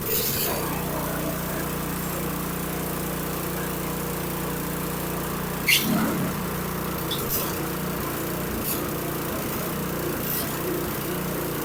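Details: Toro Power Clear 721QZE single-stage snowblower, a small single-cylinder engine, after a carburetor cleaning because gas had sat a year, running on fresh 91-octane ethanol-free fuel: a steady, even hum with no surging or misses; normal running.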